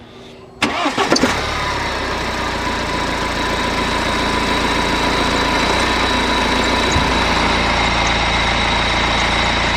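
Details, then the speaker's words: BMW E90 3 Series, drive belt reinstalled: thin steady high squeal over even idle; owner bets on the automatic tensioner moving too much, worn idler pulleys noted, full belt kit considered. "Yeah, to be honest, my money is on the tensioner. I think that automatic tensioner is moving just a bit too much."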